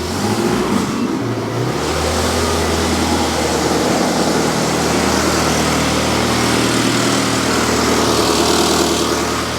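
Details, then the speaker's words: Ferrari-engined Alfa Romeo 105 restarted after repair of a major engine failure, oil pressure confirmed: cranks briefly, catches and settles into a strong, even V8 idle with no tapping. "We are running! It works! I didn't kill it!"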